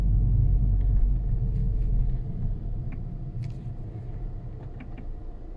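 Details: Skoda Superb 2 with 6-speed DSG automatic: low uneven rattling rumble about three beats a second before shifting, sounding different after the shift; flywheel or clutch problem suspected, unconfirmed.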